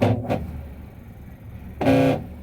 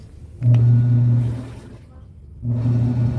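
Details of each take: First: Electrolux washing machine noisy while washing: short tonal groaning bursts over low motor hum, caused by the worn plastic motor pulley. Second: Electrolux washing machine (labelled 21 kg) after fixing the noise from a part at the motor pulley: two smooth low hums of the agitator stroking back and forth, no knocking or squeal, normal wash agitation.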